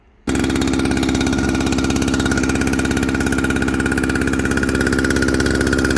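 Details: Jonsered 2095 two-stroke chainsaw with 36" bar, reassembled with a Husqvarna 395 XP chain brake handguard: strong, even buzz, steady pitch, crisp firing, no misses or rattles; healthy.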